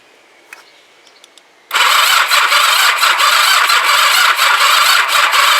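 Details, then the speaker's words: Kawasaki GPZ500S rebuilt engine in frame, start button dead and no neutral light, cranked with choke and throttle: the starter whirs with a slow uneven churn, about three compression pulses a second, and never catches; slow cranking from a flat battery, later replaced. "and we got a flat battery uh right let me try and address that and we'll switch you back on again"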